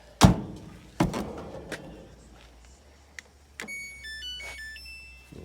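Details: Samsung electric dryer after repair for a no-start with a click on pressing start (suspected thermal cut-off): a few panel clunks, then a clean rising start-up chime and the drum motor beginning to turn; starts normally and heats.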